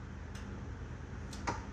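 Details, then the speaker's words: 36V EZGO PDS golf cart with the battery at 39.98 V and the key on, in forward and reverse. The solenoid clicks sharply as the accelerator is pressed and released, but the motor doesn't run; a motor fault was suspected and the controller and switches were tested. "So, we have a selenoid click, but it's not going."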